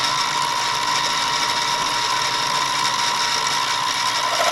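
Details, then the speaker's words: Milling cutter elongating holes in steel at 5 thousandths per pass during restoration door work on a 1982 VW Vanagon Westfalia: steady, bright, high-pitched rasping; normal clean cut. "You hear it come up against the edge of that thing. Drop it another 5 thousandths. This is going on steel. So I'm actually fairly impressed with it."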